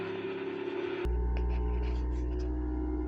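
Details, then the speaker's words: 3D printer running its vibration compensation: a small pump starts abruptly and hums steadily with faint clicks as suction-cup feet clamp and level the printer on its surface. This is normal operation. "C'est compensation des vibrations, c'est qu'elle se stabilise en fonction du support. Donc c'est pas à toi de la caler ni rien. Et elle est repartie. Voilà, elle fait du bruit."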